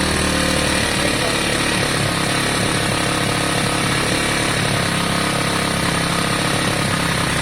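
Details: Lexmoto Valiant 125 converted from fuel injection to carburettor: single revved hard with rough, uneven drone slow to drop back; revs hang, carb setup all over the place, original jet to be refitted.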